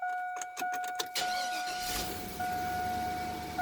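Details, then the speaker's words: 2002 Chevrolet Silverado 2500HD with a hard-start, starter-click fault from a bad engine block ground strap, started with a solid ground from the battery: a brief, brisk crank catches within about a second and settles to a smooth idle under a warning chime. Clean start. "so I'm losing my ground to the block for starting [Music] and now it'll do just fine each time"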